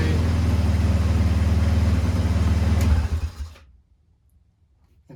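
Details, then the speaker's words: Chinese ATV: steady, even low putter at fast idle for about three seconds, then shut off; engine runs cleanly. "but you know the good thing about it is now it does run check this out"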